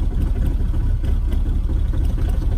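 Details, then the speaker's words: Mahindra Roxor diesel, about 21 hours and 96.3 miles, first start after polar-vortex outdoor storage at about -5°F, standard battery: started right up, then deep lumpy, uneven idle with some stumble; rough from sitting. "so it started right up amazing it's kind of rough from sitting"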